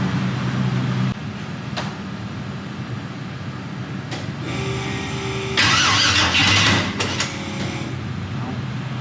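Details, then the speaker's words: 1000hp turbo LS-swapped Mustang after first start, cranking in bursts, catching and stumbling without settling; owner suspects low battery voltage; throttle blade opened slightly; hard starting, cause unclear. "Again, now it doesn't want to start again. Weird. This is honestly probably the most difficult any of my cars have been to start."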